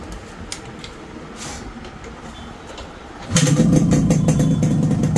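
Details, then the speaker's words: Fully restored two-stroke motorcycle after clutch work, engine start: after a quiet start it catches and settles into an even beat, roughly 200 per minute, with no clutch-side noise; normal idle after restoration. "So எனக்கு இந்த வண்டி இப்ப டோட்டலா முடிஞ்ுச்சு. இப்ப இந்த வண்டியோட beat sound கேளுங்க."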